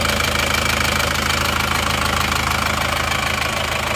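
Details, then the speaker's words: Diesel engine at idle, warmed up after repair of a holed engine block. Steady clatter carries a regular tapping of about three beats a second. Valve clearance is suspected and due for adjustment, not confirmed. "ini mesinnya suaranya seperti ini ini masih perlu kita cek dulu ya klepnya besok kita Setel lagi"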